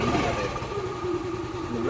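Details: Yamaha Ray scooter with slow-starting complaint, after spark plug replacement and plug cap pressed firmly home: single-cylinder catches and settles into even, steady putter with no misfire or hunting; normal idle.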